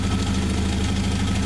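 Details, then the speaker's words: 1995 Jeep YJ after a new coil and plug fixed the no-start: steady, even low idle rumble with a regular firing beat, no stumbles or misses; engine running properly again. "i'll call that a win new coil new plug and we're good"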